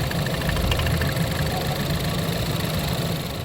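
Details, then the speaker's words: Ford 2.0L EcoBoost in Lincoln MKC, oil slightly low, oil filler cap off: steady idle rumble with uneven low puffing from filler; heavy blow-by suspected, owner fears engine failure though it runs well. "so let's uh let's start the engine and see if we're getting blow by um that was one of the tail Tails Yep looks like I'm going to be replacing an echo boost engine"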